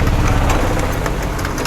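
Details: Honda Activa 125 scooter after fixing starter-motor overload related to the decompression system, on the old uncharged battery: starts instantly, kick start is smooth, and it settles into a steady, even idle with no knocks; normal.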